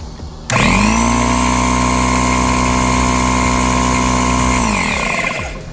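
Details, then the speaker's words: Kobalt air compressor starts cleanly and holds a steady, even hum for about four seconds, then winds down; it is pumping normally again after a repair that had started from a suspected slipping-belt sound. "So now when we turn it on, it's actually pumped."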